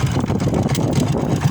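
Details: Single-cylinder motorcycle idling after camshaft chain, tensioner and gasket replacement: steady low idle with an even pulse, no knocks, whine or grinding; owner mentions a noise from the gearbox.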